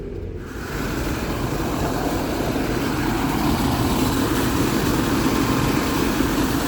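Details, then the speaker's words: New Dometic RV roof air conditioner after tightening a loose blower wheel: steady even whoosh with low fan hum on high, no scraping or rubbing; blower running normally, still somewhat noisy. "well it's not noisy anymore i mean it's noisy but it's not rubbing anymore i think we got it"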